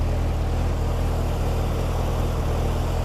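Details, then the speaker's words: C4 Corvette, hot after driving: deep, loud, steady truck-like rumble far louder than it should be; exhaust leak from a burnt hole in the muffler. "it sounds like a dump truck because the muffler has a burnt hole in it so essentially it is a dump truck"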